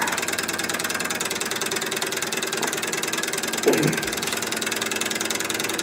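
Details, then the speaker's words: Candle-heated walking-beam Stirling (hot-air) engine driving a 3D-printed gearbox, warmed up at about 800 rpm: fast even rattling clatter over a light whir; loose bearings on the vertical rod, noise called inefficiency, linkage work planned. "now all this noise i have bearings on this vertical rod that are loose um one of the things about the sterling engine was the whisper quiet this one's quite loud noise is inefficiency"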